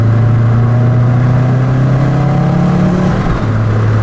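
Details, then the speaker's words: 2002 Subaru WRX wagon with almost 400,000 miles and a manual boost controller that seemed to be overboosting: a strong pull under boost with a brief stumble and power drop near the top, like fuel cut. "Sound like a little bit of fuel cut right there, but man, I'm surprised."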